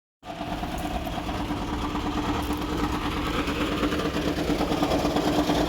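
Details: 2008 Honda Ridgeline with about 170,000 miles at auction, said to have a blown engine: it starts and runs with a rough, uneven clatter about three beats a second over the idle, sounding badly worn inside.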